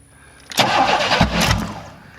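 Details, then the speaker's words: 1994 Chevy Astro van with newly installed remanufactured engine, first start attempt: cranking catches with a sharp loud backfire then a rough stumble. "ooh that was bad H okay that was a backfire"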